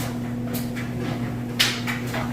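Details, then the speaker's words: Whirlpool Cabrio electric dryer on heavy-duty (high) setting, warming up with a load of clothes: steady motor hum with soft irregular tumbling thumps, smooth operation; normal tumbling. "[Music] as you can hear it sounds great nice smooth operation"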